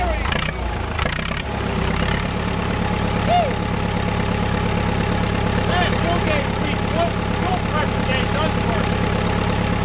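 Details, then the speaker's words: Caterpillar dozer diesel parked since 1992, stubborn start after fuel added to pump: deep steady diesel chug settling into even idle with no misses or knocks, running properly. "oh yeah well I tell you what that thing was stubborn it sounds like it runs pretty good now first time since 1992."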